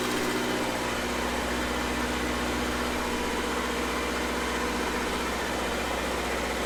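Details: Restored Red-D-Arc D300K welder generator with Kubota V1902 four-cylinder diesel, running during shutdown-safety tests of oil pressure and water temp switches: steady, even diesel clatter at constant speed, no misses or knocks; healthy.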